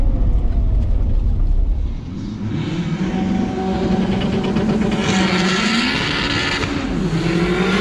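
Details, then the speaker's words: Turbo K20 in Honda EF sedan on dyno, temperature around 180s: engine note sags and bogs at about two seconds, recovering slowly with revs; bogging off boost, seems to need more RPM, cause unconfirmed. "You hear that bog down? Yeah. Yeah, I did the same thing at the track. I went, I got a clutch kick to come back in. It's like it just needs way more RPM."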